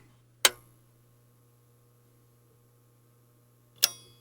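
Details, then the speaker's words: Technics SA-800 amplifier at switch-on with 8 ohm load, microphone placed close: two crisp ticks about three and a half seconds apart over a low hum, the protect and speaker relays pulling in normally. "okay so that was the protect relay coming in the speaker relay 8 ohm load did you hear went tick tick and you can see this stayed low"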